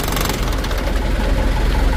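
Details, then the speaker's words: Toyota Dyna HT diesel, surging worse when hot, before injection pump rear/plunger repair: lumpy uneven knocking idle with shaky rising and dipping rhythm; rough surging idle, pump suspected. "jadi mesinnya masih tetap goyang seperti ini nah begitu teman-teman"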